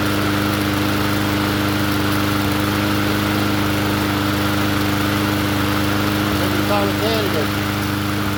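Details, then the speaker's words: Poulan push mower engine swapped onto another 20-inch deck, running after the swap: steady, even drone with no surging. Slight recoil chatter from a weak pawl spring. Normal running. "Sounds good to me."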